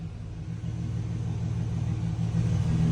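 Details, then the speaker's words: 2004 Chevy Silverado 4.3L RWD running after a crank-no-start was fixed: excess fuel was cleared. A steady low rumble firms up as it revs, catching cleanly with no misses. "Now she's running a lot better that we cleared all that fuel out or whatever. See, I can rev her up and she catches just like she should, like she's running great."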